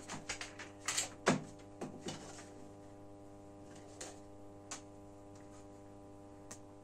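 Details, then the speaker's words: Genius 5.1 home theater satellite speaker at minimum volume: steady low hum near 100 Hz under probe clicks, same on all channels; mains hum leaking into the amplifier output. "now you can hear from the satellite it's a very very big noise the volume is at minimum but there is a problem with this annoying noise"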